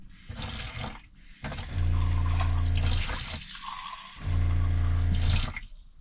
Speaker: Alors, je répète, tu l'entends. Une pompe, ça fait du bruit.